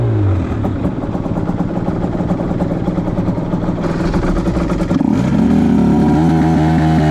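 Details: 2010 Aprilia RS 125 two-stroke, VHSB34LD carb on the old jetting (162 main, K57 top clip, B36 pilot, 2.5 turns out): revs climb with a blubbering break-up around 6,000–7,000 RPM before clearing. The stock needle may be letting too much fuel through the midrange; the fix is a K21 needle.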